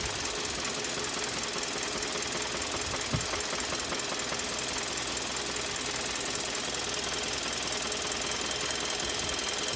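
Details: 2013 Kia Optima with code P0014: steady loud knocking about 100 a minute over a hissy running engine; deep internal knock, engine later failed and was replaced.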